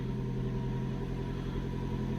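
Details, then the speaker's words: Hybrid car idling after 12 V AGM battery replacement (325 A cranking): a steady low hum, no error codes. Normal start-up. "what I've done is I've just left the car ticking over and after about 3 or 4 minutes the car switches itself off and basically gone into EV mode"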